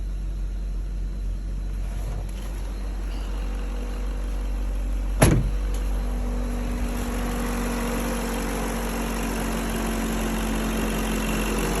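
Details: BMW M62B35 V8, fully warmed up, after its VANOS units were reinstalled with corrected timing to cure a knock; smooth, even low idle with no shake or knock, only one stray click midway; healthy running.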